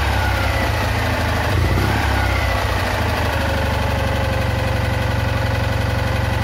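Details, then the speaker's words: Citroën Ami 8 twin at idle with ignition misfires, coughing through the carburettor, heavy breaker-point sparking, weak plug spark and a hot coil: lumpy, uneven beat with dropouts; owner suspects a faulty ignition condenser. "Bon, mais il a toujours ses trous, hein. J'ai trouvé la cause du condensateur. C'est sûr et certain que ça vient de lui."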